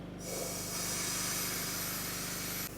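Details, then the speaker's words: Volvo VNL truck with low-boost complaint, boost pressure test with shop air pumped into the intake system: loud, steady air hiss for about two and a half seconds, revealing a boost leak rather than a turbo fault. "That's how boost pressure test looks like. We're just going to connect air here and we'll pump it in the system."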